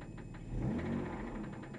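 Steady idle with a regular light knock riding over the engine note on every revolution, typical of a worn rod bearing.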